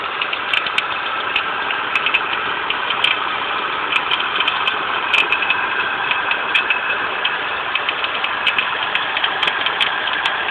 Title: Volvo 850 bad idler pulley